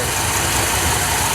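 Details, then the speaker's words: Ford F100 with 300 4.9L straight six, after fixing timing with new HEI distributor: steady, even idle under some hiss, no stumbling or misfire; belts still need tightening, carburetor not yet tuned. "we got it it's running pretty good other than the belts to be tightened up good response"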